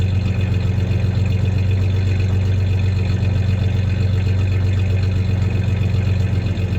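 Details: 1993 Ford Ranger 3.0 V6 idling with a slight misfire, faint uneven stumble now and then, plus a little rev; any clanking is tie-downs in the bed, not the misfire.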